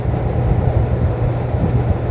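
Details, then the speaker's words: Window air conditioner in fan-only mode with the compressor off: a steady, low whooshing blower drone with no rattles, scraping or wobble; normal blower operation. "अभी देखिए इसको हमने on किया और तुरंत में blower दिखाऊंगा आपको ये देखिए ब्लोअर स्टार्ट हो गया"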